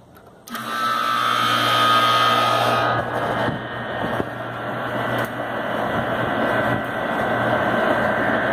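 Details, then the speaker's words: New 825 RPM replacement condenser fan motor on a Trane heat pump, rotation corrected, test run drawing right at its rated 2 amps at 65 degree ambient: steady even hum, smooth airflow out the top, no rubbing; runs normally. "Right at 2 amps. Fan's rated at 2 amps, so we're right on the money. Getting the airflow out of the top."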